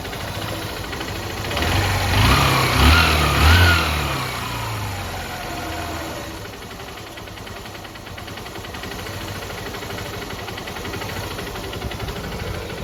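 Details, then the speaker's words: Bike engine, 125 cc, 11,000 km, after repair with a piston that is not loose, rings checked OK and new parts fitted: brief rev, then a steady even idle with no sharp piston slap over the exhaust beat; the earlier piston noise is gone. "तो really में gas आपको बता दें की पहले जैसा स्वर्ण था जितना ज्यादा साउंड कर रहा था वह अब बिल्कुल भी नहीं रहा"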